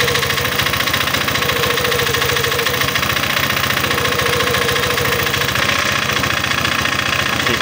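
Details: Honda PCX 150 scooter idling with the tensioner adjuster cap bolt removed. A regular, hard metallic knock over a rough run; the tensioner's back-pressure points to a problem there.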